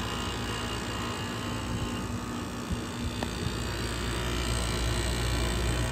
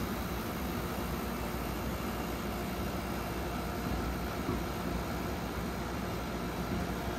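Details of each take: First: Vintage 12,000 BTU room air conditioner with a badly rusted Matsushita rotary compressor: steady, even hum with fan rush and a low compressor drone, no knocks or rattles. Runs normally. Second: Vintage room air conditioner after its first compressor swap to a Matsushita unit with a new filter drier, likely slightly overcharged; steady compressor drone with coarse buzzy rattle, yet runs and cools; worn compressor mounts.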